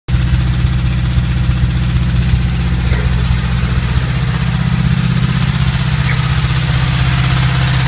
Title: Стук вкладышей гольф2 1.3